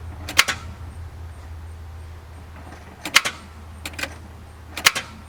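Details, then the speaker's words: 1997 Ford Crown Victoria Police Interceptor, battery 12.31 V: turning key gives a few sharp separate clicks with no cranking; voltage drop between battery post and cable shows a bad battery cable clamp. "okay customer complaint 97 Crown Victoria Police Interceptor is it's a no start you turn the key clicks"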